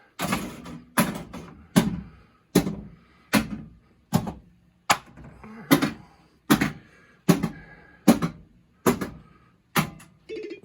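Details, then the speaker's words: Williams FunHouse pinball after driver board repair (blown fuse F113 replaced, bridge rectifiers reseated), solenoid test: crisp, evenly spaced solid thumps about one a second in a quiet room; every solenoid fires strongly and cleanly. "Solenoid test. You'll be able to hear these."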